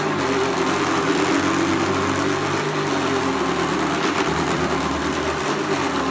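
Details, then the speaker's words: Hoover Commercial C1310 vacuum just after fitting a new brushroll belt: steady high motor drone with a rough, rattly clink-clanking; brushroll problem, cause unclear, owner checks belt orientation. "well this definitely seems to be some issue with the brushroll because it's making a heck of a clink clanking noise which just absolutely shouldn't be doing"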